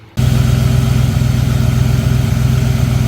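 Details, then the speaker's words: Chevy small-block V8 (G30 ambulance) running after a billet aluminum alternator bracket with heim-joint tensioner was fitted to stop thrown belts: steady, even rumble, belt tight, no squeal or chirp; normal belt drive. "I just ran the engine and it's nice and tight, no squealing or anything like that, and it looks good."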